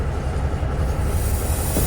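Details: Peterbilt 362 cabover air windshield wiper motor, previously slow and weak, after control valve replacement with wiper arms off the windshield: fast, steady low chugging with even beat and no hesitation; motor runs freely and strongly.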